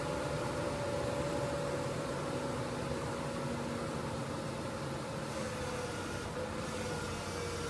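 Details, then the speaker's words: 1999 Ford Ranger after replacing upper control arms (ball joints) and tie rod ends: steady even idle hum with faint whine, no clicking; clicking believed caused by worn ball joint, now gone. "Sweet. Clicking's gone."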